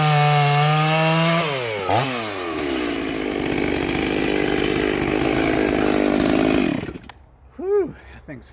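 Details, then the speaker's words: Rebuilt vintage Stihl 036 chainsaw with aftermarket Meteor piston and cylinder, new crank bearings, seals, muffler, clutch, rebuilt OEM carb, roughly sharpened test chain; starts easy, revs up, bogs slightly into cut and holds strong steady speed; fast, healthy. "fast faster than all them old saws that I got I'm going to have to build some more of these and she starts easy that's cool"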